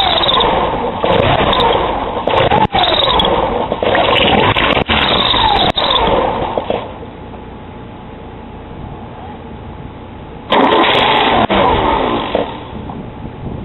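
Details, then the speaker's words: Porsche 944 after timing belt, water pump and balance shaft belt change: with the serpentine belt for AC compressor and alternator fitted, repeated steady cranking at about three turns a second never catches; without that belt it starts. "and every time i connect the belt the car cranks the engine corrects but it doesn't start if i take off the belt it's going to start"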